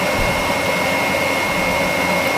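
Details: Gio Golf mobility scooter heater blower fan, relays tested with continuity: steady even fan rush with a constant high whistle, no rubbing, ticking or wobble; blower running normally.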